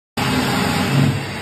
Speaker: El surge es la condición más peligrosa para un chiller centrífugo. Puede dañar gravemente el compresor. Imagina que suena como el bramido de un elefante.